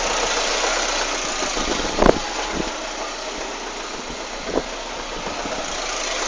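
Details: Citroën Saxo 16v engine at idle. It runs steady, but occasional sharp clacks and taps break through; abnormal noise, source not pinned down.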